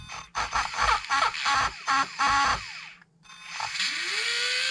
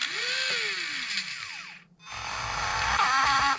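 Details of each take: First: Traxxas Slash no-prep RC car motor with pinion removed, unloaded at part throttle: quick high electric whine blips, then clean spin-up to a steady even tone without rattle; normal, though full throttle reveals a suspected burnt-out motor. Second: Motor in a Traxxas Slash no-prep street build, pinion removed: smooth spin-up whine, then at full throttle a harsh ragged rattle and buzz; motor believed burnt out and needing replacement.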